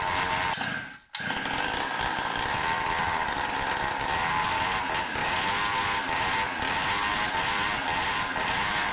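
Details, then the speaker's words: Samurai 40cc tuned two-stroke, CDI ignition advance increased (base 40 degrees, about 38 at revs): high flat buzz stuck around 8000 rpm, won't rev further, like symptoms years ago; cause unconfirmed. "it starts to resemble the symptoms it had before(years ago) it does up to 8000rpm or so but not more"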